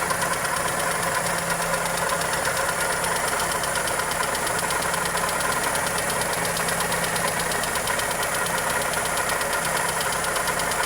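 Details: Toyota Corolla EE90 with 2E engine at steady idle: fast, regular light ticking at an even rate; valvetrain or connecting rod suspected, cause not confirmed.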